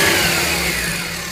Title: Fn2 whining rattly noise